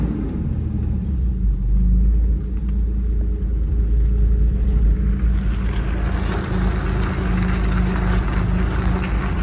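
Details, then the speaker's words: First-generation Toyota 4Runner after swapping in a factory electric locking differential with 4.30 gears, matching front diff fitted, welded front diff and Spartan rear locker removed, 4WD engaged, tight corner on pavement: truck rumble then rising tire scrubbing hiss. Normal 4WD tire scrub. "You can hear everything getting some grip. This thing is good to go, I think."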